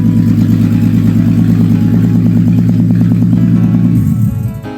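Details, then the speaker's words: Audi A3 3.2 VR6 swapped into a VW Caddy, first run with no exhaust fitted; very loud raw crackling bark at steady fast idle, shaking and buzzing, dying away at the end. "I think I need an exhaust on there because that thing is fucking loud. Absolutely shaking and buzzing at the same time."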